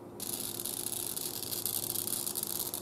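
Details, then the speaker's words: 1940s Spiegel Air Castle tube radio, bought non-working after a prior recap, on the bench at power-up: constant hissing crackle with sharp sputtering bursts over a faint hum, arcing somewhere inside the set; source not yet found. "can hear it I can actually hear it arcing I can hear the damn thing arcing I'm going to disconnect the speaker so I can hear it and see if I determine what it is here that's arcing"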